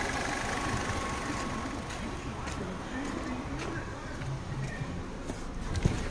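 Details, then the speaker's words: 2022 Nissan Kicks, 15,000 km, after rebuilding an engine with rod knock caused by a damaged, leaking oil filter; now idles smoothly and evenly with no knocking and no check-engine light. "motor do kicks já montado o carro funcionando perfeitamente bate nada"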